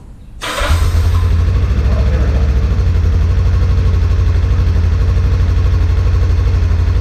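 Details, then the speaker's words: 1985 Kawasaki 454 LTD EN450, cold after four hours, running about a minute and now off choke, carbs rebuilt but not synchronized; steady, even low idle with a regular beat, sounds like it's running all right. "everything looks it sounds like it's running all right"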